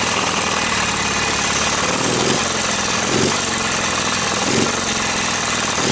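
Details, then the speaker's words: Briggs & Stratton opposed-twin engine with dual carburetors and dual exhaust, chokes out: ragged uneven running with puffs and coughs about every second, exhaust spitting back through the carburetor; owner suspects a flywheel problem. "hear the exhaust coming up through the carburetor not good there's definitely something wrong with that flywheel"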